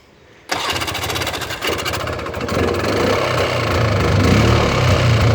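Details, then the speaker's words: 1994 Polaris 400L 4x4 ATV single-cylinder catches after cranking, then a slow lumpy beat of about four per second. Very low idle; owner suspects the ignition coil. "now she's got a really really really really low idle as you guys can hear it"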